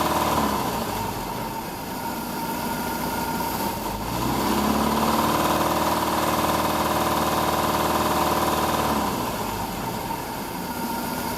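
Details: Mercruiser 470 marine engine: even, regular knocking about four per second, persisting through a brief rev and return to idle; it has knocked since new.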